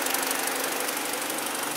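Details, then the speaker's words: 2012 BMW 318i, about 52,000 km, idling after misfire repair with coolant 48°C, oil 42°C; even steady idle with no stumbles or skipped beats; engine now smooth and healthy. "nossa BMW 318i tá tudo pronto tá tudo perfeito motor já não faria mais já não tem mais tá tudo bem"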